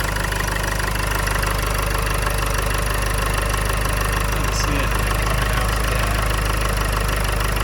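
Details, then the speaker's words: 2009 Land Rover Freelander 2 XS at idle after an air intake upgrade with silicone ducting replacing the factory duct. Steady, even idle with a smooth beat and no knocks, misses or hissing. Runs the same as normal; normal idle. "Immediately I noticed no difference at all. It sounds exactly the same as normal. The engine is running the same as normal."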